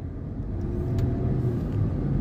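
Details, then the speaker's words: Dodge Charger after repair of engine misfire traced to faulty injectors (not engine mounts) via scan tool codes and injector cut-off active test: steady even low rumble, no misses or stumbles; normal running. "it runs smoothly and a powerful engine"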